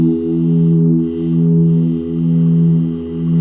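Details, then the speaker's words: Cheap guitar practice amp after cleaning crackling volume/tone pots with DeoxIT Fader F5: a clean sustained chord with gentle swells and no crackle or scratching from the controls. "okay let's go ahead and give it a shot nice and quiet"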